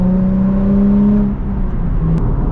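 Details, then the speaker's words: Nissan 350Z drift car after rocker cover oil leak fix, new sensors, hoses, gaskets and GKTech plenum spacer that fixed rough idle: smooth steady note under load, eases off cleanly, no misfire, rattle, engine lights or codes. "It's got a bit more torque. Like that could just be placebo. I could be could be talking [ __ ] I haven't got any engine lights. No codes."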